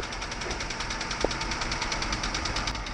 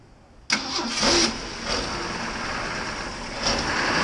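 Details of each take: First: 1965 Ford truck due for a tune-up at idle: quick even ticking about ten per second over steady idle; valves ticking badly, suspected not confirmed. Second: Engine starts at once, settles into an even, steady idle with gentle rev swells; no misfire or stumble, normal idle.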